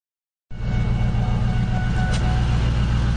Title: Lightning misfire or something shakes